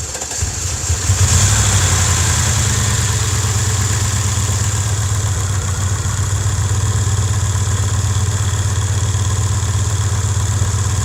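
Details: Cadillac 300 HP Northstar V8 first started after a fuse was replaced and the battery fully charged (charging at 14.7 V), exhaust broken: brief crank, then a steady, even V8 idle with no knock or miss. Normal start and idle.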